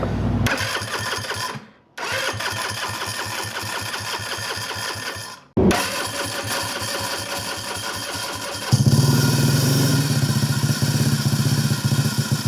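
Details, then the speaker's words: Metro moped-based Metruck small engine, first start after rewiring: stumbles and dies twice, then runs with a loud steady hiss and smoke; air leak upsetting idle, hiss source located, belt suspected blocked. "Also, I'm trying to figure out what the hissing is. Oh, it's this."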